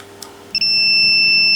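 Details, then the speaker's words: Smart circuit breaker (smart MCCB/RCBO) under test with a lamp drawing 470 mA: a faint click, then one steady high beep of about a second, its warning that the ground connection failed; it gave no warning when the neutral failed. "The product gives a warning when the grounding fails."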